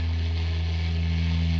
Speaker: once the signal's not going through it it cleans up but as soon as i start hitting some notes it's getting worse